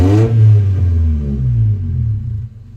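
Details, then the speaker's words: Red Honda Civic VTi, idle being checked during warm-up before idle adjustment: after a rev and throttle release the revs drop too far, sag nearly to stalling, then slowly recover; idle drop after revving. "Kaso yung idle, ito ang nangyari. Rep, bitaw. Yan ang nangyari. Diba? Yun, bumabagsak. Pinitawan mo. Ayun, bumabagsak nga siya."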